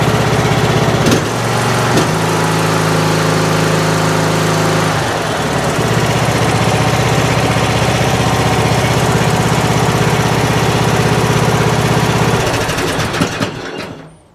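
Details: Troy-Bilt Pony riding mower running after an apparent loose fuse block connection: single-cylinder engine runs smooth, briefly revs up, then settles to a steady idle without stumbling. Normal running.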